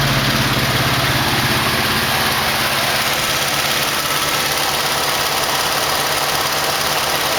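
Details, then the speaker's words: 1968 AMX with 401 V8 replacing the 360, first start after fixing kinked fuel line: loud steady idle with a lumpy, uneven beat; one spark plug wire off, so one cylinder dead; plugs and wires suspected bad. "well he ain't one plug off and that was it"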